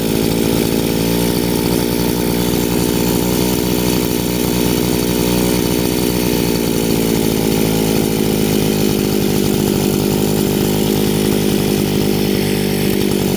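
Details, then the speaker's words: Chinese two-stroke brushcutter after carburettor adjustment via the flat-screwdriver screw: revs rise slightly and stabilize into an even, steady buzz with no hunting or stumbling; idle set correctly. "The revs have risen a little and stabilized. Everything is perfect, show work."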